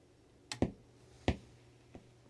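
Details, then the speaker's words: Budget amplifier board with a larger capacitor added to the power supply to try to reduce turn-on pop: at power-up a few sharp clicks over a low steady hum; the added capacitor didn't help, the turn-on pop remains. "clicks at power up. didn't really help. I was kind of hoping that one loud click would soften up, but no, it's still noisy."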